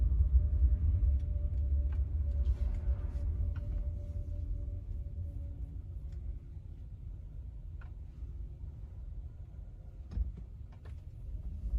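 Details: 2023 Genesis GV60, around 46°F in Alabama: after felt tape was wrapped around the hatch's four alignment points, low even road rumble with no rattles or taps on a test drive; the cold-weather rear hatch noise is gone.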